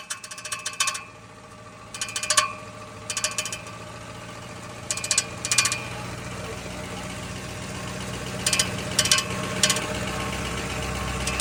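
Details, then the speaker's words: 2006 Ford F150 on engine start: repeated sharp raspy metal scraping from the flex plate area, torque converter bolts rubbing on the metal. "Apunta que este ruido viene de aquí, de lo que viene siendo el flex plate."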